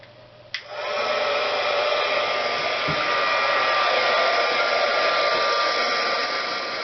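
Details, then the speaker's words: HG-300D two-speed heat gun, about 5–6 years old, already used that evening: loud airy rush with a thin, scratchy whine above it; hard-starting when cold, owner suspects a mechanical motor problem rather than electrical. "I'll hold this up near the camera and we'll see if you can hear the kind of whiney nasur stretchiness of the motor above the normal loud blowing"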